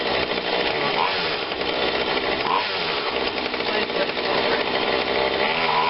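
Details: Husqvarna 142 40cc two-stroke chainsaw, long unused, running after repair and tune-up with cover and filter off: buzzes and climbs in pitch as throttle is worked, picking up cleanly each time; runs fine.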